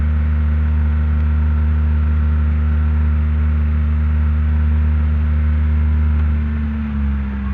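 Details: Proton Waja manual fitted with a Mitsubishi Airtrek throttle body, warm: smooth steady fast idle with no dip, easing lower only at the end; high idle traced to a throttle body issue, a gasket issue and poor ECU mapping.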